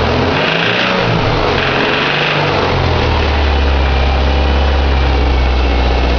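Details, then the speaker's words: 2006 Subaru Impreza 2.5i EJ257 SOHC naturally aspirated H4 boxer, 52k miles, at idle: steady idle with a light, uneven tick; owner unsure whether a pulley, timing belt bearing, piston slap, tappet noise or rod knock. "It's making a suspicious noise. I don't know whether it's a pulley or a bearing on maybe the timing belt, or piston slap, or tappet noise, or rod knock. But it sounds like shit."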